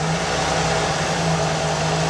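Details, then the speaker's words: 1982 Ford with EEC-III engine control, petrol engine just after reading self-test codes 12 and 23: steady, slightly fast idle with even hum as the throttle kicker stays active, normally about one minute after the test; normal. "The throttle kicker continues to be active for some time after the test."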